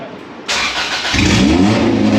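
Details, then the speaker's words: Honda Civic with a swapped-in B16 engine on its first start, no exhaust fitted: cranking bursts, then the engine catches and revs loud and ragged. Runs, but rough. "so it was a very very big night last night but there was some success even though the car didn't sound great"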